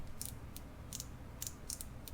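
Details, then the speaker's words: KastKing Valiant Eagle baitcasting reel, bought for $25: light, crisp, evenly spaced clicks as the spool tension knob turns, each detent distinct; the spool tension adjuster works properly with a decent audible click. "yep I hope you can hear that the spool tension has a pretty decent audible click"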